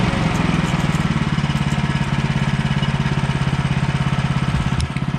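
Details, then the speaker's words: Brand-new Woodland Mills HM130 Max sawmill with a 14 hp Kohler engine, warmed up, on its first cut with a fresh blade. Steady engine drone holding speed under cutting load with no rattles, knocks or loose vibration; running normally. "i don't quite know if it's perfectly set up yet but i think it is everything sounds good everything feels good i'll probably just listen for some vibrations make sure nothing sounds like it's loose and just continue on as normal"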